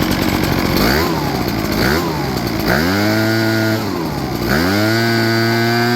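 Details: Echo PB8010T backpack blower after carburetor replacement for ethanol fuel damage, primed and started: two-stroke picks up cleanly on each throttle blip, climbs smoothly and returns to idle without stumbling; normal running.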